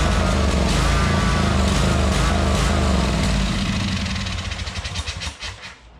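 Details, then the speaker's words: 2003 Wright Stander fixed-deck mower, 23 hp Kawasaki V-twin, fuelled makeshift into the carburetor due to a leaking fuel-tank grommet: strong, even running with steady beat, then winds down and stops; normal running, nothing wrong with the motor. "ain't nothing wrong with that motor."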